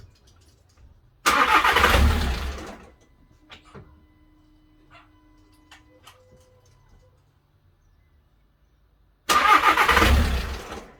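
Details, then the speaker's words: VW Crafter campervan after head gasket failure and top-end rebuild, timing hand-set: two cranking bursts of about 1.5 seconds each, engine never catches; cranks but no start, error code showing. "that's me i'm relieved that it's actually turning over and it's got to that point um it's bringing up an error code so we need to find out what that error code is"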